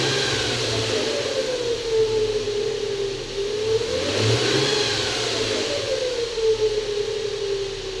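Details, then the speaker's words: Nissan Xterra/Frontier/Pathfinder VQ40DE V6: whirring whine rising and falling with revs as worn secondary timing chain guides let the chain rub on the bare metal tensioner. "what ends up happening is the secondary timing chains have guides that sit on top of the tensioners, and they eventually wear down, and so your timing chain just rubs on top of the metal tensioner. It ends up having a very distinct sound."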